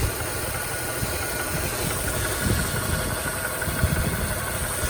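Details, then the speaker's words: 3rd-gen Toyota 4Runner at warm idle: a steady, fast ticking that is constant once the idle drops, also heard at 1,000–2,000 rpm and when coming off throttle. The owner thinks it comes from the head but fears rod knock; cause unknown. "Now that it's warmed up and the idle has lowered, you can hear it's pretty constant."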